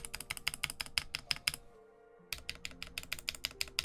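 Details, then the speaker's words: QK Alice Duo keyboard stabilizers not lubed from the start: sharp, hollow clacks about three per second, each with a short rattle; dry, unlubricated stabilizers that need lubing. "This guy is actually not lubed properly. So if I unplug them, as you do here, 1 and 2, you can hear."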